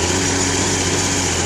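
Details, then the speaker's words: 1990 Honda Goldwing SE, 186,000 miles, gummed-up carburetors needing a carb job: will only idle on choke, uneven lumpy idle with steady low drone, no knocking or ticking. "it will run on choke it idles real rough you can hear the engine running there's no knocking no ticking"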